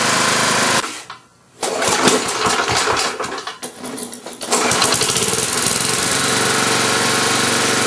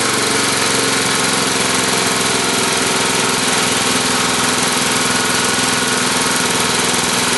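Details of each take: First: Tecumseh small engine, crankcase breather pumping gray sludge and some smoke, Marvel Mystery Oil in fuel: picks up smartly from low idle to steady high hum, then quick revs taken cleanly; governor acceleration normal. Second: Tecumseh single-cylinder small engine with the air cleaner cover off: a loud, busy drone at steady speed with a rough edge and no clear knock. The crankcase breather pumps gray sludge and vapors and puffs some smoke, with Marvel Mystery Oil in the fuel. Owner suspects blow-by.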